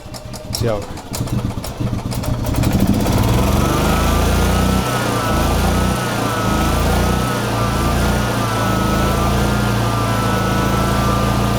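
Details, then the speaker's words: 2011 EZ-GO TXT gas golf cart, reassembled with air filter hose refitted: the single-cylinder engine catches, then climbs to a high, steady buzz with the owner's governor set to maximum and left untouched. Engine runs normally. "okay it runs and they also have the governor cranked to the max I'm not touching it because if I do I'm slowing it down"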